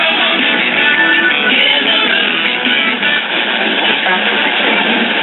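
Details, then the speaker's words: Silvertone model 5 tube radio after IF transformer repairs, playing through a temporary smaller speaker pending a 5" round PM replacement: AM music clear with no hum, crackle or buzz, slightly thin; sounds much better and appears fairly sensitive. "But I don't like doing things this way, so as soon as I can either have this one reconed or find a suitable size replacement, this will be fixed correctly, but radio sounds much better. And it appears to be fairly sensitive."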